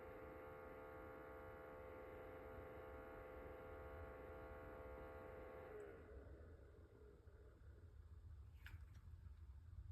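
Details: Ailinke humidifier (MG 2587) making noise: quiet steady electrical hum with a thin whine that stops around six seconds, leaving faint noise; cause not evident.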